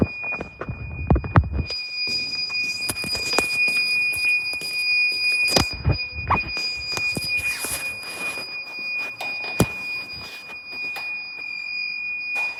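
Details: Recurring beeping of unclear source at Westminster School Amman: a steady high electronic tone through scattered clatter and handling noise, like an alarm or detector.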